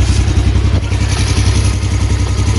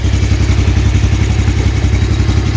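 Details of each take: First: 2015 Yamaha Jupiter Z1 (2SU) idling before clutch and centrifugal clutch replacement, heard at the right-side engine case; fast steady metallic clatter, pointing to worn clutch housing; owner complains of a noisy engine and power slipping in gears 1–2 at pull-away. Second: 2015 Yamaha Jupiter Z1 (2SU) engine listened to from the front before clutch replacement; steady even beat at constant speed with no odd knocks or ticks from the top end, front sounding fine while the right side rattles.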